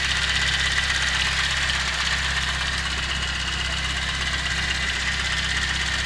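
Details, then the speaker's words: VAZ 2109 at about 192,000 km, warm (about 80°), idling: busy, steady ticking clatter about four per second over engine hum, noisier than a freshly rebuilt engine; worn valve seats/lifter buckets in the cylinder head, valve adjustment planned. "чуть-чуть шумноватый, но есть, конечно, вот когда двигатель после капиталки полностью с головой, ну, полностью нормальный двигатель, то он тише работает, чем этот."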